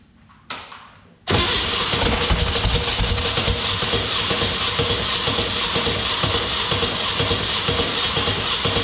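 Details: 1962 Berry Mini T kit car, VW engine, sitting since 2018, re-timed with cheap distributor, fuel down carb: steady cranking about four beats a second, eight seconds, no start.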